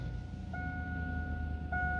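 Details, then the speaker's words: 1999-2007 GMT800 Chevy truck with Vortec V8, just started after PCM replacement and VATS relearn: low, even idle rumble with no misses or knocks, two brief chime tones over it; healthy running. "And there it is. It is running"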